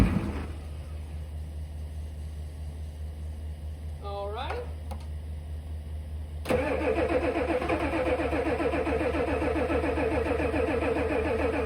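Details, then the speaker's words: 1988 Ford F350 7.3 IDI diesel sitting since the 1990s, on starting fluid with bad varnish-smelling old fuel: long cranking, catches about six seconds in with rough uneven firing that hits and misses; bad fuel suspected. "Well, it really wants to run. Unfortunately, I think this fuel is just awful. It smells real bad, like varnish. It doesn't even remotely smell like diesel anymore. And you can hear it, besides the starting fluid, you can hear it hit every now and then."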